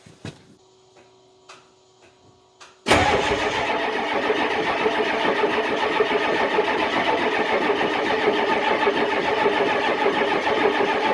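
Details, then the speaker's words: Diesel truck hard cold start on a below-zero December day after boosting the battery with a charger; quiet seconds, then it catches suddenly into a loud, rough, clattering cold idle; should have used ether. "that was a real [ __ ] to get going i should have just [ __ ] hit her with a sniffy ether in the first place"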